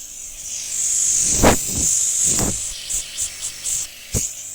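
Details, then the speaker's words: Air compressor with a pipe clamped to the discharge line, a bike/cycle inflation valve on the end and wired to relay and OLP: strong steady high hiss for a couple of seconds, then shorter spurts; good pressure, normal discharge. "দেখুন, আমি কম্প্রেসারটি চালু করে দিয়েছি এবং এখান থেকে হাওয়া নিশ্চয়ই আপনারা আওয়াজটা শুনতে পাচ্ছেন।"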